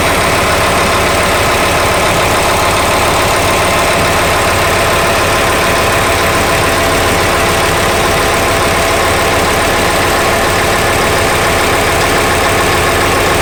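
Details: Steady idle buried in a dense, harsh clatter with a loose, uneven beat near 85 per minute; abnormal engine noise at idle, cause unclear.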